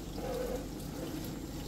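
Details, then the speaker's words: Beko smart inverter dishwasher, unused about 5 months, after freeing and repairing a stuck drain pump: soft steady rush of water filling the tub with no grinding or pump strain; machine starts and runs normally. "Now you can hear the noise. The machine already get start. Its machine is running well."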